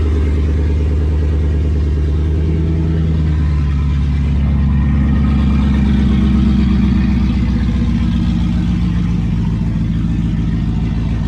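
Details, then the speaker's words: Nissan Patrol with LS1 V8, first cold start in freezing weather after sitting a while, following a couple of backfires: strong, steady low V8 burble with a lopey cam beat and a slightly raised cold-start idle, smooth and even; normal cold start idle. "But she is running. Holy shit. Idling pretty smooth. So it's got a cold start idle obviously,"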